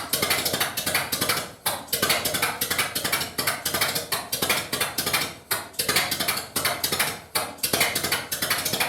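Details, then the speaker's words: 1931 British Dodge Brothers UF-10 van, first start after restoration with no exhaust silencer and timing set by eye: very loud open-exhaust bark, lumpy uneven firing around ninety beats a minute. Rough running. "She frickin' runs! Oh my god! Well, now that's cool, except that is absolutely horrifically loud, and I've got ringing in my ears"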